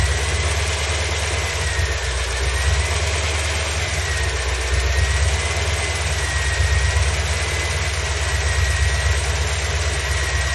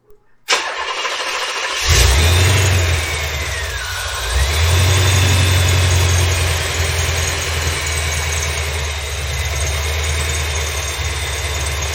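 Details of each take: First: 1987 C4 Corvette petrol engine, after a home repair of the belt tensioner's worn bushing, idles with a steady low rumble and the earlier belt squeak gone: normal idle, no belt squeal. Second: 1987 Corvette C4 after the belt tensioner was rebuilt, with the belt unchanged: the engine settles to a steady idle with a thin chirping squawk riding over it; still squealing, and the serpentine belt itself now seems the source, possibly the tensioner too.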